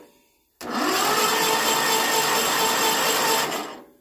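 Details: Westwood ride-on mower with an 18 HP Kohler Magnum twin, unused for 23 years, after freeing bent tinwork that was rubbing the flywheel: about three seconds of even, fast starter whir with no scraping; it now turns over freely and quietly.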